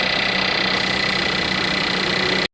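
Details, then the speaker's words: VW Jetta after AC compressor replacement, engine idling with AC on recirculation: steady idle with smooth even hiss and faint steady compressor tone, no knocks or grinding; new compressor running normally. "so we're going to go ahead and start out so you'll hear some pressure coming all right there you go"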